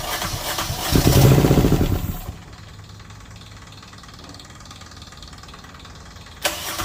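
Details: Rebuilt diesel genset from a Tiara boat on a bench test, bled and with exhaust into a makeshift muffler can: brief starter crank, then it catches into a low, even drone with no misses. Output reads 135, no leaks, healthy.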